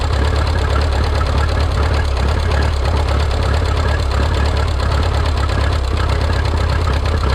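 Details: Rebuilt Minneapolis Moline 335 tractor engine, warm (gauge about 140°), tappet gaps readjusted warm: steady low idle with an uneven, lumpy beat and irregular stumbles throughout; firing roughly, rough running misfire.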